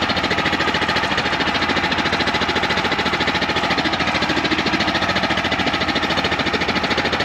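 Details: 2019 Champion 100812 generator revived after sitting about four years, running loaded after about five minutes with low idle; throbs with a steady pulse about three times a second instead of a smooth drone, doesn't seem quite right, running rough.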